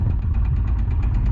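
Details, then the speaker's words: Polaris RZR engine, freshly built, had locked up (owner believes rod bearings seized to crank); freed, refilled with Lucas oil. Hot idle after 15-20 minutes, decent oil pressure: heavy rapid evenly spaced knock, about eight hits a second; badly worn rod bearing. "It's been about 15 20 minutes now. Still running, knocking like crazy."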